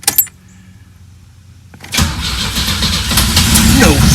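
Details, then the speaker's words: 1984 Pontiac Fiero unstarted for over 30 years: quiet cranking, then it fires and runs rough briefly on brake cleaner sprayed into the intake, almost keeps going. It will start, but the fuel pump isn't delivering fuel. "ah almost had it let's try again ah it's trying all right well we know it's going to start"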